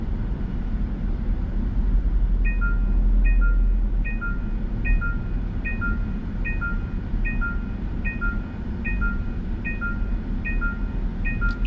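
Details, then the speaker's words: Facelift Genesis GV70 3.5 Turbo with Highway Driving Assist, hands off the wheel in slow traffic under 30 km/h: a bright three-note chime repeats about every 0.8 seconds over road rumble, the hold-the-steering-wheel warning; ignoring it disengages the assist. "지금 제가 지금 쓰고 있는 고속도로 주행 보전은 시속 30km 이하 저속 주행을 해도 핸들을 쇼라는 경고가 이렇게 금방 뜨는 편이네요"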